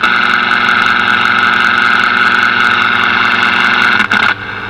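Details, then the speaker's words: Zenith 4-B-231 vintage radio with synchronous vibrator: loud steady raspy hash buzz through the speaker with the earth ground lead disconnected, dropping sharply near the end. "so it's to reduce the hash noise coming from the synchronous vibrator here because you can hear that thing humming around"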